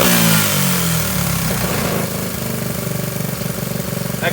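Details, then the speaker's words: Honda SL70K1 with a refitted CT70-style high exhaust, a new clutch cable and oil added: the little single thumps unevenly, hunting and stumbling rather than holding a steady idle. "really needs to be taken off and cleaned"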